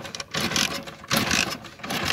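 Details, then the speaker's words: Motorcycle with an anti-theft switch cutting the current from the stator, switch off and key on: three short whirring cranks with gaps between and no catch, since the ignition supply is cut. "No lo vas a encender, ve. ¿Por qué? Porque el flujo de corriente está cortado desde el estator."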